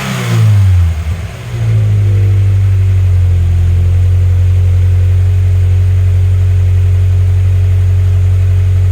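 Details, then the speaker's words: Turbo Scion FRS boxer engine after spark plug replacement, a broken plug ceramic suspected of causing misfires: quick rev blip dropping back to a smooth steady idle with no misfire or stumble; runs much better. "Wow, the car sounds so much better, starts much easier, everything."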